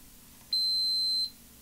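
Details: Air hockey arcade machine PCB, with a multimeter comparing pins against a known-good board: one clean high beep under a second, showing continuity, so this chip pin connects to ground.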